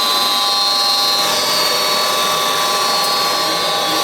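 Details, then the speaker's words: Goodman gas furnace running normally after a new control board replaced the burnt one (burnt main power wire, burnt smell, no heat; possible earlier lightning damage); steady even whir, constant high hiss and fixed tones, no rattles or surges. "put a new board on it she fired up everything's running properly"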